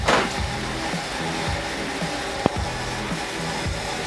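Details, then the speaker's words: Datsun petrol engine idling on its own after a cracked intake air hose was dealt with: a low, slightly lumpy, slightly uneven pulse; it now stays running where before it would not, though it nearly died. "looks like the vehicle is now running much much much better now that I have all of those things taken care of it sound like it was about to die again but at least it stay started"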